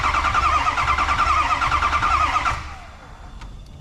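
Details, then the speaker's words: 6.0 Powerstroke diesel with no muffler, cranked after an injector refit with hydro-lock concern: starter spins at an even beat, slowing on compression, not speeding up, so no valve-seal issue; normal cranking. "the sound I'm hearing there is uh you know compressing fuel you know that little it's it's not actually speeding up it's slowing down so I'm not worried about that this thing sounds great"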